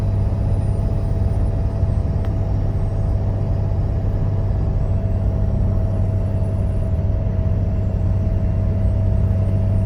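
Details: Deep steady moan with low hum and faint whine from front of engine compartment at low rpm and light throttle; idler pulley, tensioner and belt already replaced; also loud fan at startup, occasional power loss; owner suspects fan clutch.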